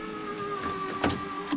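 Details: Honda driver's door window after repair with the door panel reinstalled: smooth, even motor whir at a steady pitch, ending with a soft thud as the glass seats; window working normally.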